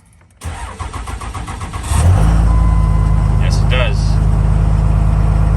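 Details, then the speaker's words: Diesel truck cold start at about 27°F after overnight low of 20°F, not plugged in, higher mileage than last cold start; cranks briefly, fires right up into steady even fast/high idle: normal cold start. "i think it'll do that if the temperatures are in the 20s sounds good though fired right up"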